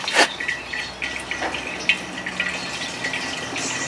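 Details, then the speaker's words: Car hoist hydraulic ram de-watered via homemade vacuum tank on small refrigeration compressor, about 10 inHg vacuum: irregular gurgles, splashes and hissing air as gooey water and oil are drawn into the tank; working normally. "yes yes it's working guys it's working we're sucking all of that gooey watery mess out of that nice hard ram"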